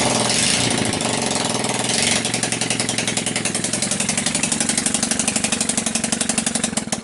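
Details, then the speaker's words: Sunl 110cc ATV engine after loose head bolts fixed, running on choke with portable CDI box: fast uneven idle with loud airy hiss; owner suspects plugged crankcase breather line pressurizing the crankcase. "I don't know if you guys can hear that hissing sound that probably means yeah my um my crankcase is also plugged up"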